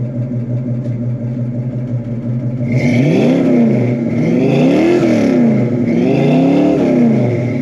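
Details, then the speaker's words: 1966 Ford Mustang with a 289 V8: a slow, lumpy idle, then three clean throttle blips that rise and fall smoothly. It sounds healthy, though the idle sits a little low and should be raised. "Engine sounds good. The only thing I would recommend is picking up the idle, which I'll probably pick that idle up."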